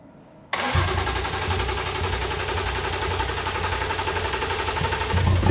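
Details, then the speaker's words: BMW M2 Clubsport first start after an engine rebuild and reinstall, about 10 months off the road, with no exhaust fitted. A sharp crank catches instantly into a loud, raw, steady idle with slight blips; the engine sounds healthy. "wow so there you go we've fin up for the first time in 10 months or something that's just awesome the reason it was exceptionally loud is there's no exhaust on it like literally nothing"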